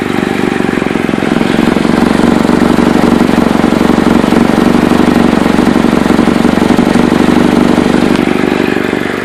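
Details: Chevy Cobalt at idle, with a fast, steady puffing tick about four beats a second in time with the engine; owner suspects an exhaust leak at the flex pipe and/or manifold, not confirmed.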